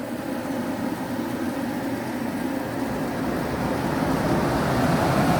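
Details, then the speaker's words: Carrier Infinity 58MVC080 furnace, flood-damaged and repaired with a replacement gas valve, inducer and board: all 4 burners ignite after the igniter glows and the gas valve clicks, giving a smooth, steady roar with no popping or delayed ignition. "And there you can see the burners that fired. There are 4 burners in there. It fired, and within a few more seconds the blower fan will turn on."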